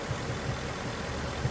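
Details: 2017 Ford Mustang GT 5.0 Coyote V8 idling, codes P0302/P0316, cylinder 2 misfire; cause unfound; low rumble with an uneven beat, an occasional dropped or heavier pulse every half second.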